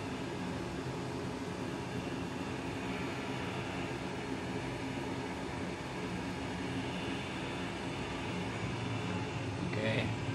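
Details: Home oil burner in a basement, run about 15 years: steady rough rumble with faint whining tones; owner suspects failing bearings or fluid noise, to be swapped for a used lower-hours unit.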